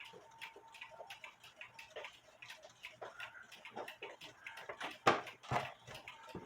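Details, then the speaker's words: Black Forest Biedermeier box clock, circa 1870/80, wooden plate movement, being repaired; faint ticks about two per second with uneven tick-tock spacing, out of beat because the case is not level, as the bubble level shows. "That's why you have a bubble level. It's not level. So, I need to straighten it out and it should run."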